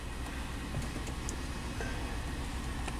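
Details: 2004 Chevy Avalanche 5.3L V8, 67,000 miles, just started: shaky, uneven idle with occasional stumble; scan shows cylinder 6 misfire, feels like single-cylinder misfire; truck reportedly misfires on up to 4 of 8 cylinders, cause not yet found.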